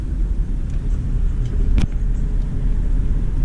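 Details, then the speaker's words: Honda, driving after brake bleed and repair: only low, even road rumble, no scraping; the earlier grinding from rotors riding against the caliper bracket is gone, brakes sound normal. "no more that's like grinding sound we're like the rotors were riding up against the brake caliper bracket no more of that king rides pretty good man"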